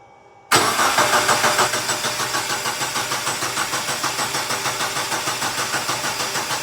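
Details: 2015 Mitsubishi Lancer GT that sat 8 months, cranked by bridging the starter relay, no radio, lights or key fob: starter spins the engine with an even chug, about three beats a second, never fires; crank no start, battery suspected.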